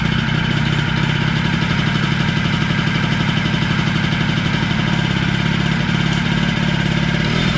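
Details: Honda Spree 50cc two-stroke idling unloaded: fairly even buzz about four beats a second; starts and runs but has no power, compression read low, owner wonders if motor is blown.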